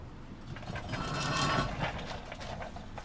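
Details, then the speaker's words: Chevrolet Trailblazer SS (Trailblazer/Envoy) front end rebuild, control arm removed: irregular ratchety clicking and faint grinding, about two clicks a second, as the lower ball joint is worked by hand; lower ball joint totally shot. "This lower ball joint's totally shot."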